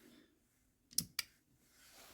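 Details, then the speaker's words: 2004 Mercedes E500 4Matic with P0410 secondary air pump code: the original 40 A secondary air injection relay, removed and bench-tested with an M12 battery, gives two crisp clicks a fifth of a second apart; relay working normally, not the fault. "So, this relay is working just fine. I can hear it click."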